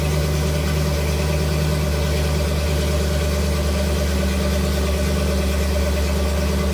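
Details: 1975 Ford F150 with budget-built 390 FE V8, first start in over 30 years after build: deep, steady, even idle with smooth low rumble, no knock or miss; 78 psi oil pressure, healthy normal idle.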